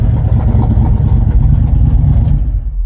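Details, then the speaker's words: Engine that had a mysterious lifter noise, now with 80 oil pressure and good temperature; the noise cleared after hard revving. Deep, steady low rumble with no ticking left on top as it winds down. Running clean. "I can't believe it it came and went but in the end I beat it"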